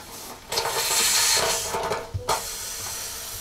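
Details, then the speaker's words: Water heater drain valve fitted finger tight and briefly opened to check for leaks: steady rushing hiss of water flowing, then eases; no leaks found. "Now what we're going to do is we're going to open this up a little bit just to see if we've got anything leaking. So we can hear it."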